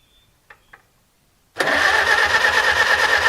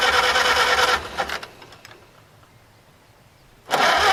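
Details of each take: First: Farmall H tractor first start after cleaning the sediment bowl, valve cover not bolted down, no radiator or coolant: catches at once and settles into a steady, even idle with clean ringing tone, no knocking, oil pressure shown; normal start and idle. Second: Farmall H tractor, radiator mounted but no coolant: a second of cranking cuts out to near silence before cranking resumes; a poor electrical connection interrupting starting, fired once wiggled (first thought flooded); no-start.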